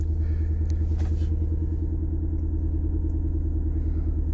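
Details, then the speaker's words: 1994 Toyota MR2 Mk2 GT turbo (JDM, twin cam 16-valve), cold start after being off the road since 2020; low, uneven idle with a lumpy beat and occasional stumbles; misfire. "Oh, bit of a misfire there. Sounds a bit lumpy."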